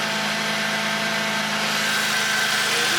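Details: 2002 Toyota Tacoma with solid axle swap on 37s: steady, high, thin whine rides over the idle without changing pitch, suggesting the power steering pump whining; pump later quiets down somewhat. Cause suspected, not confirmed.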